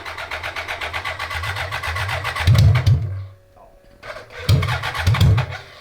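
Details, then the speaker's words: 1980s BMW 1000cc engine in a mini trophy truck go-kart, air flow meter sensing bypassed: cranks, catches, revs in lumpy uneven bursts, stalling between tries, seems rich with fireballs; rough running, not fixed, cause unclear. "i'm gonna say it's not fixed"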